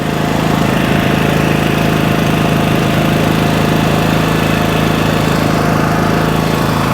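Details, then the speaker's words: 3000-watt dual-fuel 220-volt generator powering a small fan: steady, even engine drone with firm low hum, no knocks or hunting under light load; running healthy. "all right so running this fan obviously as a small device is no problem now"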